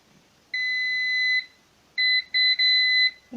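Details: LG refrigerator freezing too much and noisy, defrost bimetal sensor tested with multimeter: clear high beep held about a second then short bursts; continuity present, sensor good.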